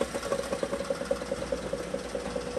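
A steady mid-pitched tone pulses about seven times a second over a quiet idle; a noisy automatic transmission, cause not yet known.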